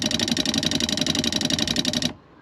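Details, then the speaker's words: New Shurflo habitation water pump in a Benivan 120 campervan, replacing one that failed from frost damage: a rapid, even buzzing for about two seconds as it builds pressure and fills the hot water tank, then it cuts out cleanly. Normal running. "Okay, right. That was the pump operating, building up pressure and filling up the hot water tank. Once the hot water tank is full and the system's under pressure, it cuts out."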